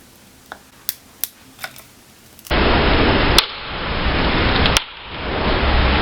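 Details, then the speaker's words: Apple MagSafe clear case for iPhone 12 Pro Max being bent and twisted by hand: sharp single clicks, about four in two seconds, as the MagSafe magnet ring shifts inside the case. "I was bending and twisting it to see the strength of the plastic, and the case itself makes a strong clicking noise."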